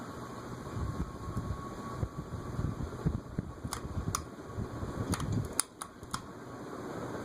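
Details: Carib 36-inch three-speed ceiling fan, cast iron spinner motor, around 0.7–1.0 A: steady soft whir with faint high tone and light ticks, no rumble or grind; bearing noise heard earlier gone, fan running healthy.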